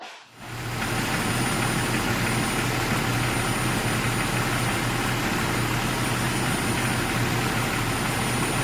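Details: 2001 Jeep Cherokee idling with a thin, steady high-pitched whistle from air sucking through a leaking vacuum line, found by spraying water on lines; vacuum leak.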